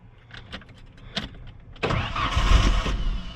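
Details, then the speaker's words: 1994 Ford Ranger with a vodka and Red Bull mix in the tank. Clicks and cranking, then it catches with a burst and dies within about a second. The owner believes the mixture got into the fuel pump and starved the engine of fuel. "Oh, it's like it fires up and then it dies right away because it doesn't get any fuel."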